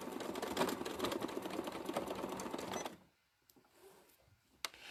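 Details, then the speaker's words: Sewing machine free-motion quilting with an open-toe foot and glamour thread: fast, uneven clatter about two strokes a second, then stops; presser foot set too high, with a screwdriver-sized gap above the fabric. "now it's making that noise because the gap between the fabric and the foot is too much see i can get a whole screwdriver under there"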